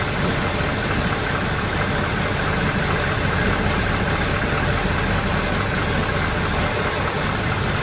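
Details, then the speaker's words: GTO V8 after break-in and valve adjustment: low, even idle at 750 rpm, 15 inches of vacuum, 10 degrees timing, no ticking from the top end; valvetrain quiet and healthy. "that's what i'm talking about we got a pretty low idle of 750 rpm 15 inches of vacuum 10 degrees of timing"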